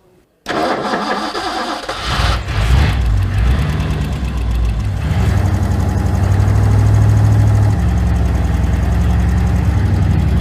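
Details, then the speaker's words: Carbureted engine on a Ford Galaxie that wouldn't idle: lumpy, uneven idle of about four beats per second during a flammable-spray vacuum leak test. Base gasket suspected; a vacuum hose on the intake manifold was plugged only with a bolt. "And if there's a vacuum leak anywhere, it'll suck this in and you'll hear the engine accelerate in RPM."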